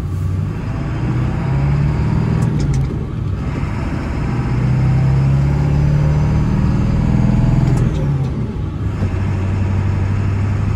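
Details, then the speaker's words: 1999 Ford F-350 4x4 dually with the 7.3 Powerstroke diesel, 6-speed manual and 58k miles, pulling off a hill on a test drive. Revs rise and drop cleanly through the shifts with no grinding, hesitation or clunks; normal gear shifting. "You can hear how smooth the 6-speed shifts. It doesn't grind or hesitate going into gear."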